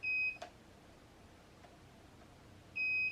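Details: Sur-Ron Light Bee MX with KO Factory Spec controller after firmware update, throttle calibration: clean, high single beep repeating about every two and a half seconds, signalling calibration complete.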